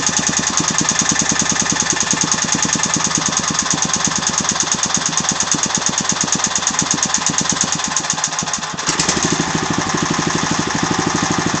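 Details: Agros walk-behind tractor (motoblok) engine at constant idle with fast, steady knocking over the engine beat that never lets up; the owner does not know the cause of the engine knock.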